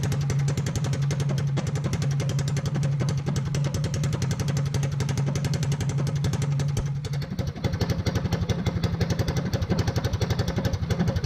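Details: Small single-cylinder engine for a Motovox mini bike, governor and low-oil sensor removed and stage 1 kit fitted, held at about 5,800 RPM: crisp, even firing with no flutter, misses or valve float. A normal, healthy high-rpm run.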